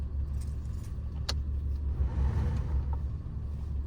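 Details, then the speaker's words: Subaru-engined vehicle, warm idle with coolant near 192–194° after Blue Devil head-gasket treatment: steady low rumble with soft constant whirr as the radiator cooling fan kicks in; temperature then drops to 188.6, fan running. "It might be running. It is running."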